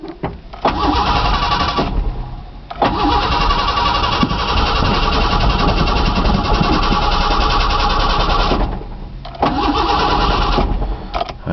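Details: Truck cold-cranked after sitting about two months with a new battery: starter turns steadily about four turns a second in long bursts with pauses but never catches; fuel pump heard, owner suspects fuel problem.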